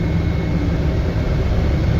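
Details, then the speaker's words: 1954 Chevy 3100 pickup, heater/AC blower on defrost; a loud steady rush of air with an even low rumble and no ticks or squeals, blower running strong. "That blower kicks out some air. You can feel it. You can hear it. You can hardly hear anything else."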